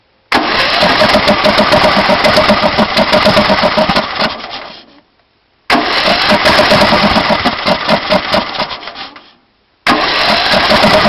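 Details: Intek 18.5 HP engine on a DYT4000 riding mower that runs one minute in the morning only with starting fluid, then backfires through the carburetor: three chugging four-second cranking bursts that never catch, a no-start.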